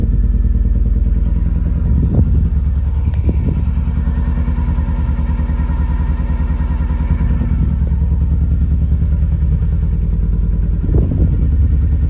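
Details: Lotus Elan M100 engine running with an uneven, stumbling beat and occasional louder thuds breaking the rhythm, like a cylinder dropping out; a misfire.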